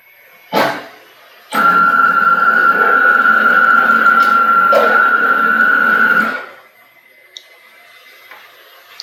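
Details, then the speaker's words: CNC router Y-axis, PureLogic PLCM-E1B controller, jogging before the fix: stepper whine near 1.5 kHz for about five seconds with pulsing, uneven quality; anti-backlash nut tension possibly letting the axis jerk non-linearly. "you may find that your anti-backlash nut different tensions are going to cause different variables"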